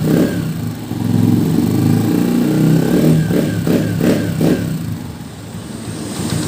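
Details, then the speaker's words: Honda TMX 125 at 3,847 km, after oil change and valve clearance adjustment: steady single-cylinder idle with a few quick throttle blips, valve tapping (lagitik) gone; normal idle. "Ayun mga ko umaandar na yan kung rinig sa video wala na yung lagitik niya"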